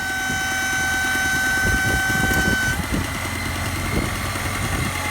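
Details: BMW E36 (owner's car) at warm idle: thin steady high whistle over an uneven idle, heard in cabin and outside; dipstick test points to failed crankcase breather (odma) valve, suspected not confirmed; intake air leak whistle.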